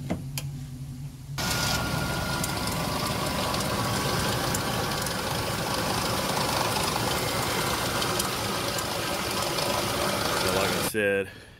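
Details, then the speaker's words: Lincoln Aviator at idle after start-up: a fast, uneven light rattle over the engine; suspected broken timing chain guide, to be checked by pulling the cover. "And I think this thing has a broken timing chain guide. I'll fire it up and let you hear it."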